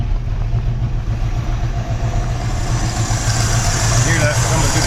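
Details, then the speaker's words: 1968 Chevy C10 short bed carbureted V8, running on fresh fuel after old fuel drained: lumpy uneven idle, irregular low thumps about 3-4 per second coughing through the carburetor; suspected stuck or burnt valve or bad camshaft, unconfirmed. "through the carburetor. Either got a stuck valve or a burnt valve or a bad camshaft."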